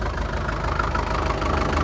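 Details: 1947 International Harvester TD-9 gas-start diesel crawler after magneto rebuild; heavy rhythmic clatter over deep even idle, no misses, the normal heavy fuel knock typical of its American Bosch injection, running good.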